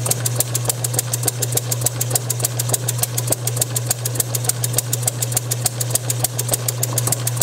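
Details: Bessemer model engine driven by an electric motor on a test bench, Hall-sensor spark at about 5–10° BTDC, running slightly rich; steady motor hum with sharp pops three or four a second, firing but won't run alone. Owner suspects too little fuel/air mixture or compression leakage.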